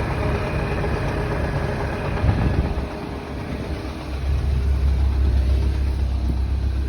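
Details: R56 Mini Cooper S at idle with brief revs after the shop replaced the timing chain: a faint uneven knock remains under the low rumble, much less than before.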